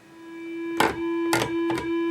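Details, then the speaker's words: Moog Minitmoog synthesizer at power-on: single steady buzzy tone with a few clicks, no oscillators sounding, only the filter self-oscillating; suspected bad harness connections at the filter. "And what you're actually hearing, you're hearing the filter. I can go here. And so, filter is self oscillating."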